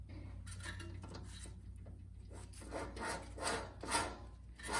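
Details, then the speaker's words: 2001 BMW E39 525i front hub spun by hand with disc removed, no load, low rpm: dry, rasping humming rumble surging and fading; worn front wheel bearing. "if it makes noise doing this under no load and a pretty low rpm if it's making noise you can imagine what it's going to sound like when you're actually driving"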